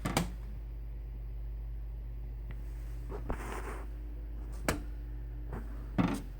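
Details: Vintage Sunbeam humidifier set to constant run: low, steady mains hum with a few handling clicks and no sign of the motor spinning up; the motor hums but does not run.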